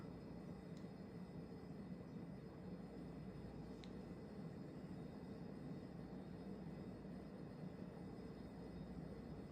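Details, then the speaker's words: Vintage 1994 Hunter Legacy 52-inch ceiling fan on high speed: steady loud rush of air with a low helicopter-like whoosh, no ticks, wobble or rubbing. "turn the lights on so you can see a look at the fan when it's running sounds like a helicopter"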